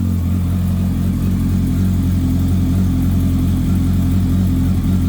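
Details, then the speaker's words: Kawasaki ZX10R on first start after engine-out gearbox rebuild, fuel injected: steady, even cold idle with a smooth low hum, no rattle or tapping, oil pressure straight away, no leaks; engine sounds healthy. "okay so we got oil pressure straight away which is good sounds good no botling no"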